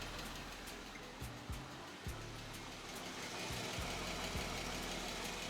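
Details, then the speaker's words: 2015 Jeep Wrangler Rubicon, 3.6L Pentastar V6, warm after about five minutes of running: a light, fairly even tick about three to four times a second, loudest on the passenger-side bank; failed rocker arms, which gets louder as the engine heats up. "so the car been running for about just five minutes now and you can definitely hear that uh knocking sound and it's obviously coming from this bank"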